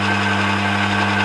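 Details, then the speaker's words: Emco Maximat V10-P lathe in neutral, run through its speeds from 60 rpm: steady, even headstock gear hum without knocking. The slowest speeds sound slightly rattly, but overall it doesn't sound bad. Normal gearbox running noise. "you know we don't sound too bad to me"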